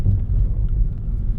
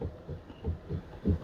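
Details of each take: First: Mitsubishi Xpander (FWD, about 90,000 km) driven over uneven concrete after front suspension and steering repair: only a steady low road rumble with no knocks; the earlier knocking over rough concrete is gone. Quiet suspension. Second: Mitsubishi Xpander (FWD, about 90,000 km) parked, steering wheel turned by hand with the mic placed nearby: dull, uneven thuds about three times a second, the same knock heard over uneven concrete; traced to the steering rack.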